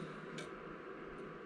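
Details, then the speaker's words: PlayStation 2 disc drive struggling to read: sharp isolated clicks about once a second, not reading discs or DVDs. "This one is struggling to read. I can hear the disc making clicking noises, but that's about it. And we're not reading DVDs either."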